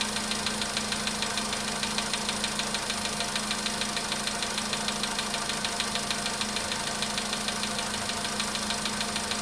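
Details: VW Polo sedan cold start: sharp, even ticking-knock about 98 per minute over a steady idle; top-end knock, cause unconfirmed.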